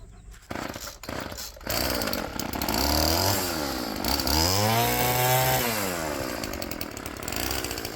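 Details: Roadside-found Poulan Pro PP28 string trimmer fitted with steel head and restrictor plate removed, primed and choked: fires after a few pulls and revs cleanly up and down with the throttle; normal running.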